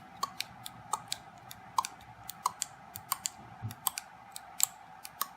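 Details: Keyless entry relay board (opto-isolated, separate 5V regulators for key fob receiver and relays) for a DiamondBack trike, bench test: crisp sharp relay clicks in uneven groups, about two per second, quiet room; relays switching properly, board works.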